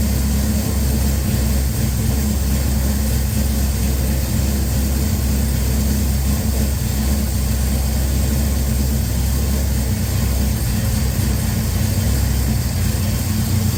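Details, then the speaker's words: Henry J engine freshly started with a Sniper EFI and replacement GM HEI module, a screw opened, warming up: steady, even low rumble with no knocks, misses or surges, getting louder as it heats; normal idle. "I just want it idle for a few seconds on its own. Let's see what happens. It's getting louder."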